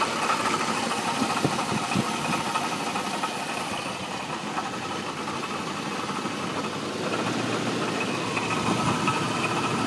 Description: 1989 Jeep Cherokee 4.0 inline 6, 227xxx miles. Started knocking.